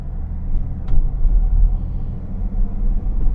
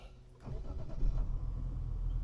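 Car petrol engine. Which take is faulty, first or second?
second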